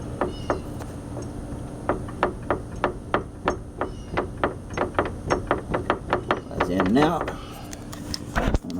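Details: 2015 Arctic Cat Wildcat Sport, 120 miles, about 13 off-road: sharp clunks, about three a second, as the front wheel is rocked; the a-arms slide on their bolts on worn bushings, worst at passenger lower. The clunk is also heard when slowing or turning on bumps.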